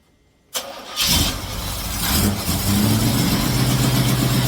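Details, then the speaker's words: Cutlass with HEI after misfire repair: new MSD coil and digital module, Moroso Ultra 40 plug wires, ACDelco R44LTS plugs: cranks briefly, catches at once and settles to a steady, even idle with no misses; healthy. "all right guys Moment of Truth we're going to try and start this thing all the wires are installed I'll show you that in a sec uh we're going to do this start and see if we can get this thing"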